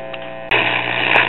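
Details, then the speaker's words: Truetone or Newcomb B100 tube radio, probably late 1940s to early 1950s, powered up warm from a variable supply. Steady low buzz, then a sudden rush of hiss; audio amps work but nothing else, no station pulled in; mains hum, no reception. "okay with the audio amps working but nothing else is working"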